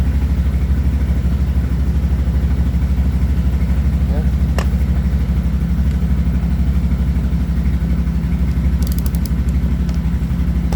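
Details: CF Moto 800XC ATV with a charging issue, idling after replacing the stator charging controller: an even, regular low thrum at about three beats a second, with no stumbles or rattles; a healthy idle.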